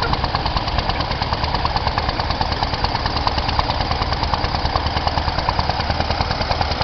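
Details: Semi truck heard from behind while driving at night: a steady, sharp knock about three times a second over heavy diesel idle, audible in the exhaust pipes; owner suspects a rod knock, unconfirmed.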